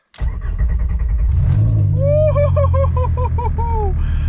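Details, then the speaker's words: VR5-swapped Mk3 Golf, first startup on the ground, not in gear, e-brake on: settles into a deep uneven rumble with loose rattle as the exhaust rests on its midsection with no hangers yet; exhaust rattle. "Also, it's kind of rattly. The exhaust right now is sitting on like the little midsection. I didn't have any way to hold it up just yet, so it's a little bit rumbly, but she still sounds good."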